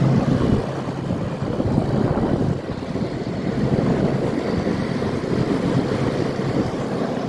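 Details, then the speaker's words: Amana PBH093 9,000 BTU PTAC heat pump, under 10 years old, in heat mode at about 60°F outside, heard from the outdoor side: a steady low hum of the rotary compressor under wind rush, with no knocking or rattling; normal running. "here's the outside you can hear the compressor running it's a rotary I think I already said"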